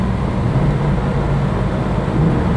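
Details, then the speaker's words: Car that sat in a field for months, just started: low loud idle with uneven stumbling exhaust pulse from a dead cylinder; dead miss misfire, blamed on sitting too long. "No, she's misfiring. She's got dead miss."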